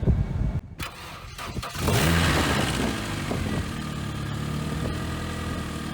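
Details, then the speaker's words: 1994 Saturn boneyard car on a 20°F February day, only oil checked, water added, fuel pump primed with key on: short crank, catches at once, flares briefly, then settles into an even idle; starts normally. "Wow, it started right up."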